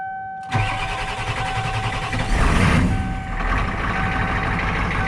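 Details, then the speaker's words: 1994 Ford F250 7.3 IDI turbo diesel, CAT injection pump, cold start without glow plugs on about 80°F humid day, fired third crank; cranks, catches with rough clattering roar, settles to steady idle; normal cold start. "controller hooked up right now so this is just cold start no glow plugs"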